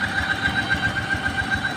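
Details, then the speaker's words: Honda Vario 125 scooter: a steady high whine over a rapid, even idle, heard on a brief starter press, sometimes very loud when running and intermittent. Later traced not to the CVT but to the water pump. "Oke Guys nih kedatangan Vario 125 guys bunyinya aneh ini kalau di starter dikit ya bunyinya kayak gitu kadang kalau nyala tuh bunyinya keras banget tapi kadang hilang nanti muncul lagi"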